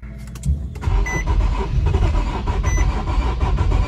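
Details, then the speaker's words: 2013 Infiniti G37 3.7L V6 that shut off while driving: the starter spins it with an uneven, lumpy beat and it never starts. A timing chain problem, skipped timing with low compression, is suspected. "You guys can see the engine is cranking, but it does not start."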